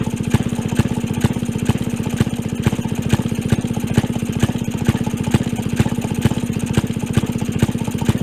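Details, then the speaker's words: 1928 Maytag Multi-Motor Model 92 two-stroke, after replacing the condenser and reducing plug gap to about 0.015: crisp even putt-putt at steady speed, no misses; starts easily and runs cleanly, drips a little fuel. "okay but it's certainly working sounds good runs good starts easily"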